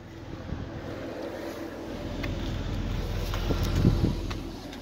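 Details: Convertible warmed up with AC on: steady low engine drone under some wind, the earlier metallic rattle gone after running a while; runs smooth and even.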